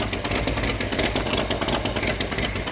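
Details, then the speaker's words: 1972 Dodge Dart Swinger with a new engine, first start and idling on water for coolant; steady idle with sharp rapid ticking puff, about ten a second; exhaust manifold leak, felt blowing out at a middle port. "I think it's the middle board. Yeah, it's leaking out of I can feel it blowing out of the side."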